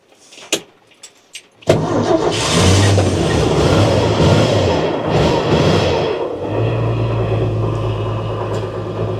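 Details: Old truck started after sitting a while, in neutral, gas pumped and held, clutch due for replacement, choke not working: starter cranks briefly, catches with a rev, settles to smooth even idle; oil pressure good, healthy start.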